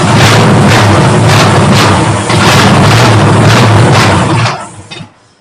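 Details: Ford 272 Y-Block V8, first start after new headers, a rebuilt Holley carburetor and new ignition, bowls filled by hand and no coolant: a loud lumpy roar sags and dies after about 4.5 seconds from fuel starvation; a fuel pump is needed.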